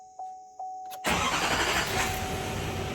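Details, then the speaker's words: Healthy start right after an oil change: short crank, then catches cleanly and settles into a steady, even clatter with no knocking or rattles; left running a minute or two to circulate oil before rechecking the dipstick. "purrs like a kitten. So what we're gonna do is let this run for about a minute or two, make sure we get out all of that oil circulated in there, and then we wanna check the dipstick again."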